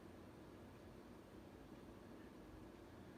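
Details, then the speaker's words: 52-inch SMC A52 variable-speed ceiling fan, late 1970s or early 1980s, cast motor housing, cane blades, on highest setting forward: soft even whoosh of air, no scraping, hiss or chatter; runs smoothly despite slight wobble. "Still has a bit of a wobble to it, but it's actually cranking out quite a bit of air."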